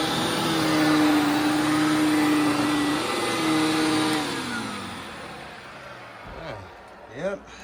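Steady, smooth motor hum with no grinding or rattle, then an even spin-down as it's switched off; sounds healthy.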